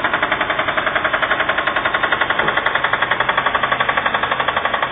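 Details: Subaru Impreza blob eye with EJ20 engine running: sharp, hard knocks at about three to four per second, steady and evenly spaced; internal engine knock, engine needs replacement.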